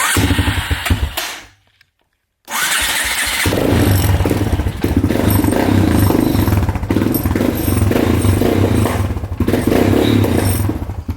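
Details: Polaris Predator 500 single-cylinder quad after finding debris in the gas tank, cleaning the carb, new petcock and fuel line: catches after a pause, idles lumpy with irregular pops and wandering speed; unstable idle, cause not pinned down.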